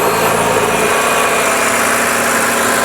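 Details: BMW X-series engine started right after an oil and filter change, no leaks found. Loud, steady, even hum with no knocks or misses; normal idle.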